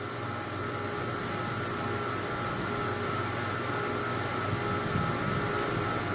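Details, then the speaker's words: Maple sap reverse-osmosis unit running after priming its air-locked centrifugal feed pump, which had cavitated. Two high pressure pumps give a smooth, even drone with steady tones, never wavering or knocking; normal operation. "Give it a little juice. Give it a little juice. So 2 high pressure pumps going."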